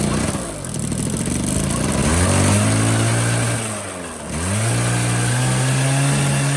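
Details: 1985 Honda Spree two-stroke scooter with a previous no-power bogging problem: picks up crisply, pitch climbs and drops smoothly through two rev blips, free-revving with no bogging.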